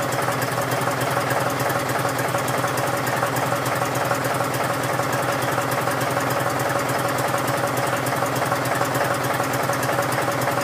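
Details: John Deere 5103 tractor, real cold start at about 29-30°F after sitting a few days: even, rapid diesel clatter at steady idle with no misses or uneven beats while warming up. Normal cold idle.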